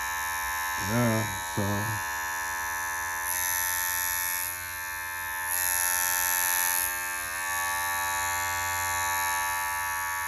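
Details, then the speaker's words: Magic Clip cordless hair clipper, after replacing broken motor with upgraded 7200 RPM 3.6-volt motor: clean, steady high-pitched buzz, even pitch, no rattle or dropouts; feels more powerful than before. Normal motor running. "these feel these feel more powerful than they were before I'll tell you that"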